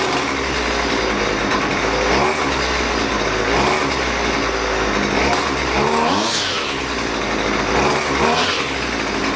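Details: Husqvarna 128LD string trimmer that bogs and won't throttle up, during carburetor mixture adjustment with adjustment tool; buzzy note wavers and sags, briefly climbs on blips; bogging under throttle.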